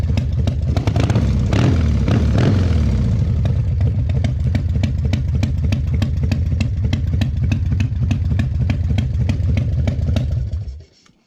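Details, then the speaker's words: 2001 Indian Scout (Gilroy era) V-twin, 7k miles, cold start at about 50°F: lumpy idle after short revs with sharp ticking pops on each beat from an air leak at the front exhaust pipe; exhaust leak. "So also there's just so you know, there's a leak to my front exhaust pipe. There's an air leak, so you'll hear some popping, but don't freak out about it."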